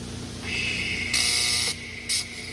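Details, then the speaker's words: TIG welding stainless steel practice piece during hood hinge work on a 1934 Ford: steady high hissing buzz with a couple of brief louder bursts, smooth and even; looks and sounds like a good weld. "Well, it looks and sounds good. So it's always a good sign in welding when it looks and sounds good."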